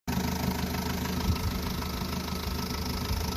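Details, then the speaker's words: Vauxhall Astra H 1.4 petrol, 79K miles, idling before timing chain replacement. Busy, tinny rattle over the steady run; worn timing chain rattle. "do you get this is a rattling timing chain"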